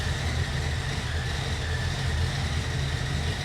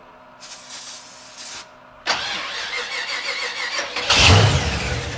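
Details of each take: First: 1968 Chevy C10 with a small cam, just started on a jumper pack: deep, even idle with a faint mild-cam lope and apparent oil pressure, healthy overall. An unidentified whistling noise is also noticed. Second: 68 Chevy C10 with 05 Ford Explorer suspension, project truck, cranked with air filter on: two bursts of steady cranking ending in louder chugging without catching; suspected not getting fuel, then possibly too much fuel; battery possibly low.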